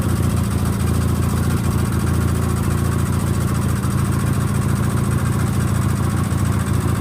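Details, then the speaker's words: Sears GT18 single-cylinder engine at idle: a light, quick tick at about three a second from the left intake valve, which has too much lash (gap); no fix done yet. "if y'all hear that ticking i know what it is i know i've heard people ask me about the house at the house but it is uh i know which valve it is it's the left intake valve it's got too much gap in it"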